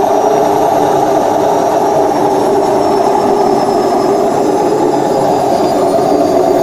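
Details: Washing machine during spin: loud, steady roar throughout — worn tub (drum) bearing, fixed by replacing both bearings and the oil seal.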